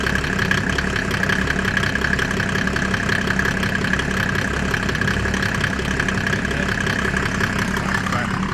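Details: Mercedes OM606 diesel in a Land Rover build just after its first start, microphone near the exhaust: steady, even idle at a constant pace with no misses or knocks; sounds healthy.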